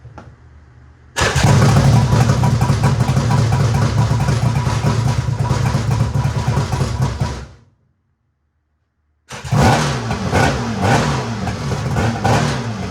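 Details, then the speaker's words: Budget 7-foot mini jet boat two-stroke engine, first start ever after fuse and kill-switch wiring fixed: catches and revs with a raspy, even howl, kill switch cuts it cleanly, restarts and pulls smoothly; running right. "Freaking thing runs for the first time ever. I'm not as excited as I would have been 3 days ago when I first started this, but I'm still really pumped."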